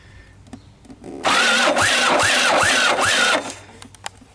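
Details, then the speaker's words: Honda ATC125 three-wheeler, bought for parts, that developed a death rattle, stalled and would not restart; harsh two-second grind on cranking with a pulsing rising-falling whine each turn, then dies away; owner suspects a worn-out engine needing rebuild, grind cause unconfirmed. "i'm not sure what to think of that grinding sound i don't know you guys kind of heard it right i'm gonna restart it i want you guys to listen and see what you think"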